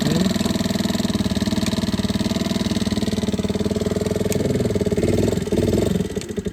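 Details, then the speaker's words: Chinese GY6 50cc scooter with a dead battery, started by kickstart: rapid even single-cylinder putter at idle, then dies away at shutdown; engine fine, flat battery prevents electric start. "I have this scooter which is not starting right now, and it can only be started by kick-starting the scooter or jumping the battery. As you can see, it's completely dead, doesn't start."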